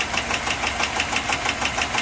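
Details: Chevy Avalanche 5.3 AFM/DOD engine with suspected bad lifters, after lifter-release band-aid with AFM unplugged: fast, steady ticking knock on a rough, skipping idle; possible valvetrain or bottom-end knock, cause unconfirmed.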